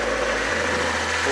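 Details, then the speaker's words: Bashan BWS 2 scooter after repair of a worn lower connecting-rod bearing and cage on the crankshaft: smooth, quiet, even idle hum, whispering with no knock at all from the engine. "сейчас работает на холостых Шепчет напт никакого стучка нету абсолютно"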